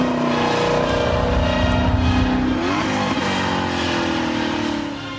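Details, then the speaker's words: Maserati Quattroporte Sport GTS with sport button pressed: loud, deep exhaust climbing in pitch as revs rise with strong booming resonance, a healthy engine pulling cleanly. "자의 스포츠 버튼을 누르면 공명 되는 이 굉장히 커 지거든요 그러면서 처녀 다른 소립니다"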